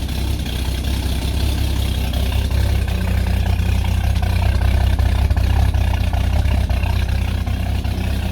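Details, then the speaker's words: Ex-police Ford XG divisional van after its catalytic converter was swapped for an AU Ford version: loud, deep, blatty idle with rapid puffing two to three a second and heavy smoke. It sounds unsealed; a leak ahead of the muffler is suspected, not confirmed. "Oh, that's loud. Back in a sec. Definitely freed a few things up. Don't know why it's noisy."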